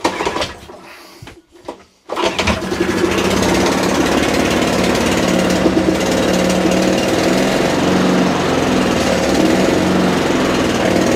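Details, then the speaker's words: Mountfield 474 lawnmower from dump, starts after a couple of pulls, steady even putter without shaking (bent crank thought unlikely) but revs slightly low; may need a carb tune or dry throttle linkages lubricated, cause unconfirmed. "it's not shaking like like like a i would expect it to but it does want picking up slightly on the revs"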